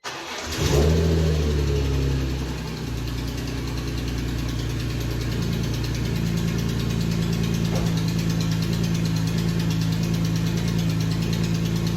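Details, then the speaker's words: BMW E46 M3 idling after start-up following belt refit: light, fairly even tick over idle, owner suspects exhaust leak at the head-to-header joint; a faint squeak also remains, possibly belt, unconfirmed. "You can really hear that tick, and unfortunately, I think it's coming from the head on the header."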